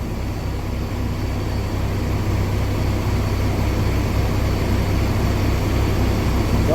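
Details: 2021 Kenworth T680 diesel idling just after an oil pan replacement, refilled with oil and primed; oil pressure up to 40 PSI, no check engine lights, airbag air leak present. Steady, even low diesel rumble with no knocks; healthy idle.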